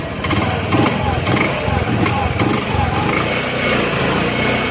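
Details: Honda Beat injection scooter after repair: steady, even idle with smooth low putter, no odd rattle or hiss from the injection area; earlier strange injection noise came from a loose injection adjustment (throttle body setting), now fixed and running normally.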